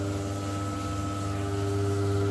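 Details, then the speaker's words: Forza FX 2200 UPS on battery backup powering a gas water heater's controller: constant low buzz with a thin steady whine above it while still supplying hot water; cause of the noise unknown. "it's working it's actually giving me hot water the UPS is some backup mode so it's working but that noise is driving me crazy"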